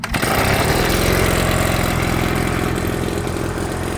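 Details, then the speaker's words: Proyama 3-in-1 leaf blower vacuum small two-stroke, already warm: fires and settles straight into a fast, even buzz with no stumble, a normal warm start. "Like I said, already had it running, so it's warm. It's not cold, but you know, I put this thing on choke, pulled it twice, it fired off."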